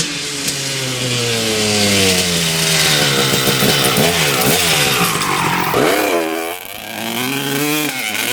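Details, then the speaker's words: 1995 Honda CR250 two-stroke with stock jetting, needle clip raised one notch to second from top (leaner), power valves confirmed opening: revs sag and stumble mid-rev; slightly better but still bogging. "all right it's still doing the same thing basically um it's a little bit better but uh basically doing the same bogging"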